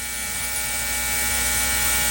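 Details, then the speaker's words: Ultrasonic cleaner with lawn tractor carburetor, float bowl and jets immersed in heated solution on 30-minute timer: steady high-pitched electric buzz over constant hum, no pitch change; normal ultrasonic cleaner operation. "i'm going to drop the carburetor in there and i don't know if you can hear that but it's buzzing"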